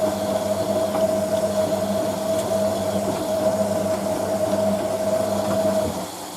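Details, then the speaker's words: Hotpoint 9530 Electronic 1000 Plus washer on Programme 4, 50ºC coloured synthetics, polyester/cotton load, first rinse: drain pump runs with a steady even hum between fills, then winds down cleanly; normal operation. "Basically, machine fills and then the pump comes on. When the pump shuts off, when the pressure switch is reactivated to fill the machine again."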